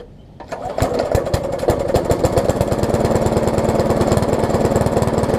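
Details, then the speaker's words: Craftsman lawn mower with Briggs engine, found discarded, first run: catches and pops along about three beats a second with lumpy uneven note; sounds very rich, worn carburetor diaphragm suspected. "It actually runs as is, but it sounds like it's running really rich, so I probably have to put a carb diaphragm in it, which is to be expected, and then I'm gonna fix this stuff up here."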